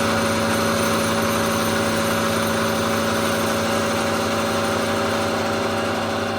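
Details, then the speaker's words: Hobby milling machine with straight-cut gears machining a Leyland P76 V8 cylinder head at about 5 mm increments: steady hum with buzzing rattle, gear chatter under cutting load. "I don't really do much more than five mil increments on this Mill because because it's all straight cut gears it Chatters like a party you probably hear the noise that it makes when it's Machining"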